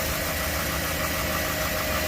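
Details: 2013 GMC Sierra V8 after both leaking power steering lines replaced: even, steady idle with a constant low rumble, no hunting or stumbling; idles normally.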